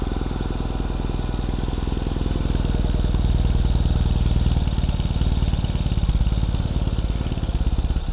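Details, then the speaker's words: 2021 Ural Gear Up Hornet custom sidecar motorcycle after final assembly, started in neutral: steady, even low thrum from the twin at idle, regular firing pulses, no knocks or misses; healthy normal idle. "So we're going to get a quick start on the bike, for this bike, so you can hear it."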